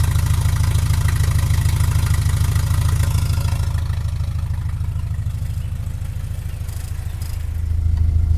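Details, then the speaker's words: Cold idle at 900 rpm without the choke on an Opel GT just converted from a Weber 32/36 to a Weber 40 DCOE on a straight-shot manifold. Idle screws about 3 turns out; it had flooded just before. Low, steady idle with slightly uneven lope; a mechanical choke is fitted but unused. "So right now the RPMs are at 900. That's because I should have the choke on."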